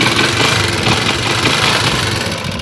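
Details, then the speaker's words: Motorcycle kick-started to show it is fully operational before an anti-theft switch is fitted: a steady, even idle with a smooth beat and no knocks or misses, running normally. "Apagamos y es una sola muestra para enseñarles que nuestra moto está completamente operativa."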